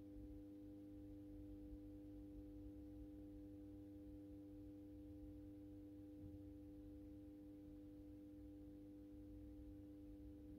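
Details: AEG Minikoffer West German post-top mercury vapor streetlight with its mercury ballast, apparently starting a 110 W Penning-mixture sodium bulb that strikes on mercury gear without an igniter. Low, steady mains hum with a clean even buzz, no rattle or crackle, during warm-up: normal choke ballast.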